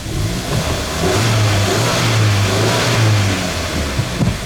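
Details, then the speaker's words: After clutch kit replacement (disc, pressure plate, release bearing), engine cold, clutch pedal pressed: the engine revs and settles smoothly with no whir or chirp from the release bearing; quiet and fixed. "Bueno probamos si es fría y se desarrolló cuando lo apretamos [Música] ruido ninguno"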